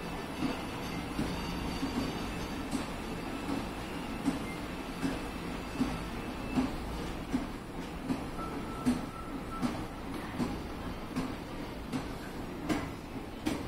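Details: Hitachi escalator at a shop, recorded going up then down, noisiest from the first-floor top panel; steady hum with a heavy clunk repeating a bit over once a second, heavier when descending; escalator clunking.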